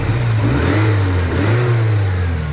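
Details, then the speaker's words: Porsche 944 Turbo after fixes, with a new rotor arm (the old one had burnt out): a deep, even note revving cleanly through blips with no misfire or stalling. "Okay. Ah, that sounds like a 944 turbo."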